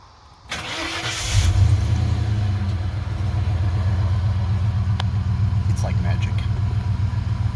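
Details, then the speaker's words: 1995 Ford F150 that wouldn't restart and clicked because of corroded battery terminals, after cleaning them with baking soda and water and tightening them, no jump box needed: the starter spins, the engine catches cleanly and settles into a steady, even idle with no clicking. "so what it what it turned out was i just need to tighten everything back down didn't need the jump box clicks went away and i get a fresh start"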